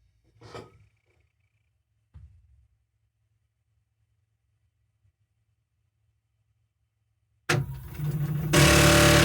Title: Strange Noise booting up MMU3